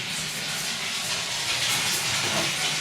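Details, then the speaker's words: Pressurised gas-heated hot water system after a Zilmet expansion tank was replaced, powered down and refilling: steady airy hiss with no mechanical beat as trapped air vents from the bleed tap before water comes through. "you can hear that coming out. We might just increase the flow a little bit."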